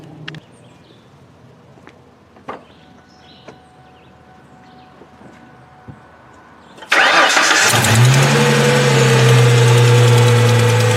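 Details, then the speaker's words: 2002 Ford Mustang convertible 3.8 V6, high mileage, cold startup: light quick tick over idle near the exhaust manifold; owner suspects manifold leak rather than valves, tick fades after about 30 seconds; recorded before oil change and Liqui-Moly engine flush. "um here in the exhaust manifold it's got a little tick on startup i don't think it's valve related but if it is valve related i'm hoping maybe a flush will help"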